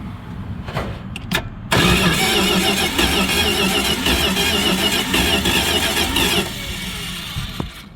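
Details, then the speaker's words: Dodge 318 V8 that died, with spark and fuel present: steady cranking at about three and a half beats per second with a hollow whoosh, pushing air backwards out of the carburetor, never starting; bent pushrods. "well we got spark we got fire the thing turns over but won't start you can hear it pushing air the wrong way out of the intake out of the carburetor so that's not a good sign"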